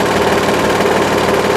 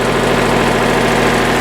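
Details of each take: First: Hydraulic trailer lift, damaged by a stone wedged in the mechanism: steady strained groan with fast chattering buzz while rising under load; binding lift, likely needs parts cut off and redone. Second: Hydraulic lift after repair; a wedged stone had crushed parts. Raised and lowered under test, it gives a steady, even drone with no knocks, grinding or surging: normal hydraulic lift operation.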